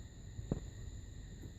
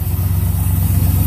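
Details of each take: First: 1981 Pontiac Trans Am 301 turbo 4.9 L V8 with newly installed FiTech EFI, first start attempt: starter cranks at a steady even rhythm for a few seconds but never fires; distributor blue tach wire accidentally pulled out, so EFI got no RPM signal. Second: 1981 Pontiac Trans Am 301 turbo 4.9 L V8, newly installed FiTech EFI: low smooth V8 burble at steady idle with even pulses, no stumble or miss; running well.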